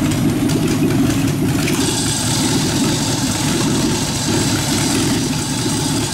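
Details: Rat rod truck engine at idle driving a York AC compressor converted to pump air for airbags, pressure switch set about 80-100 psi; steady even idle, smooth low rumble, no knocks or misses; engine and compressor healthy.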